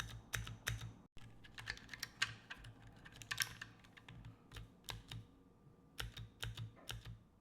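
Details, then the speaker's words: Keychron keyboard spacebar after applying nano tape to fix a hollow, tingy spacebar: irregular typing with a solid dull thud on each spacebar press and no lingering metallic ping; the fix worked, spacebar sounds normal. "Oh, that's much better."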